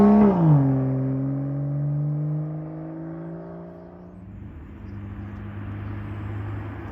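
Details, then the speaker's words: BMW M2, M Performance exhaust with valves opened by remote: a sharp rev flare sweeps down into a deep, even burble; healthy, normal exhaust note. "so do i dislike my end performance exhausts absolutely not besides the fact that it looks amazing it sounds amazing take a listen to this"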